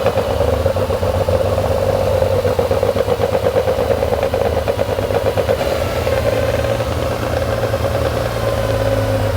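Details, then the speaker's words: Porsche 911 2.8 RSR build flat-six, after fixing missing injector on cylinder 1 and dead cylinder 5: steady, even idle with no missing beats; cylinders well balanced, sounds way better, normal idle. "That's sounding better. That sounds way better. Yeah, that looks like I've got it a bit closer. So that it sounds so much better."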